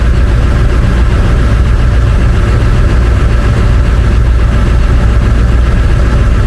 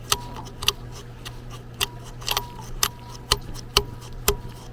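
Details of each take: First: International 4700 with 7.3 L 444E diesel, just fitted with a new turbo and coolant topped off; deep, even rumble at steady idle, no knocks, whistles or hunting. Normal idle after turbo install. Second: Turbo off an International 4700 444E truck, spun by hand with engine off: dry gritty whirr and scraping ticks fading as it slows; damaged turbine fins, shot bearing, wheel touching housing sidewall; turbo being replaced.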